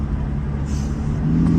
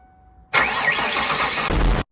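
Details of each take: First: 1995 Ford Taurus 3.8L V6 with big turbo, driving, not yet hot: deep even drone swelling smoothly as throttle opens, no knocks; runs good, almost sounds like a diesel. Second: 1995 Ford Taurus 3.8L V6 with big turbo, after startup: cranks and catches, then idles with an uneven, lumpy beat and occasional stumbles; much better than before but still misfiring a little.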